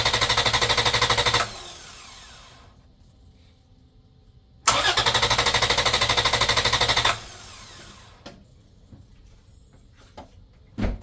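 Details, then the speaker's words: Engine cranked via a Buture Beta07 6000 A jump starter in boost mode: two bursts of crisp, even starter chugging at about three turns a second, no catch. Five good cranks; the pack dropped to 67, losing one bar. Normal cranking. "I believe that was 5 good cranks."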